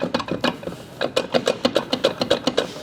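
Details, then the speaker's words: A Daewoo Matiz front wheel bearing, left humming and ignored for a couple of months, makes rough crunching clicks as the wheel is turned by hand. The bearing has disintegrated to crumbs, and likely damaged the CV joint, knuckle and hub. "Итак, смотрите, хороший пример рассыпавшегося подшипника просто в крошку."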